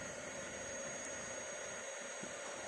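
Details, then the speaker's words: Honda Beat FI motorcycle with aftermarket bi-LED projector headlight kit: steady high-pitched rushing whir from its cooling fan, far louder than normal, because a 5-volt fan runs on 12 volts. "ini dia ya Eh sebentar ini di sini kan ada eh apa fan Suaranya berisik dan dia e niupnya itu di luar apa eh di luar rata-rata dia lebih kencang"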